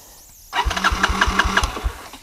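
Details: Barn-find Honda TRX200SX ATV after carburetor, cone air filter and throttle cable fitted, started on choke in neutral: short crank, then a few even firing pulses as the single catches cleanly, no knock or clatter. Normal cold start.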